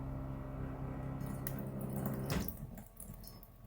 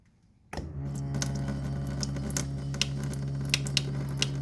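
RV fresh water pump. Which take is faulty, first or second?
second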